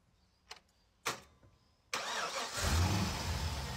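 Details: Holden VZ Commodore LS1 V8 after a no-start fix bridging the starter relay: a couple of faint clicks, short crank, then catches at once and settles into a steady idle; normal start.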